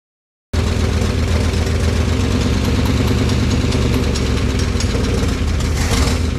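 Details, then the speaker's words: 1955 DeSoto Firedome Hemi V8, first start in decades after storage: uneven loping idle around four beats a second with dull chuffing, smoothing slightly; heavy blow-by, one valve suspected not sealing, possibly stuck, not confirmed. "did you hear it smooth out a little bit it's got really bad Blow by so it's getting compression in in the crank case somewhere one of the valves isn't sealing"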